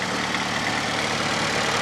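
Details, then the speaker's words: Fiat Panda 4x4 Sisley after carburettor-to-throttle-body fuel injection upgrade: short stretch of smooth, steady, even idle hum, no stumbles; normal idle. "whatever it's running sweet as anything listen to that"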